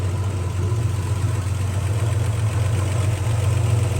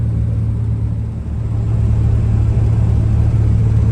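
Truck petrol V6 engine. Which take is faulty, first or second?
first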